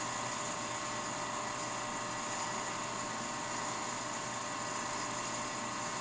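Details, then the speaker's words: Rebuilt Leybold Turbovac 150 turbomolecular pump at speed, main valve opened slowly to let gas through: steady high whine holds its pitch with no audible drop in rotation speed; pump running normally under gas load. "I do not hear any difference actually in uh rotation speed so probably it's fine"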